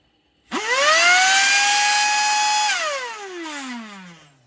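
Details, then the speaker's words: Shark cordless vacuum motor: spins up to loud piercing whine then winds down; owner suspects motor bearings failing, linked to poor filtration. "Basically making horrible noises and sounding like the motor's cavitating. Or the motor bearings are cavitating."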